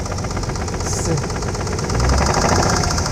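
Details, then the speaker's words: 1992 Nissan 300ZX Z32 slicktop idling after sitting a while; oil pressure 25–30 psi and not overheating; mic under the hood. A hard, regular deep bottom-end knock about four times a second over a steady idle. Owner suspects rod knock, making the car undrivable. "you hear i'm guessing that's a rod knock and that's basically what's stopping the car from being drivable right now"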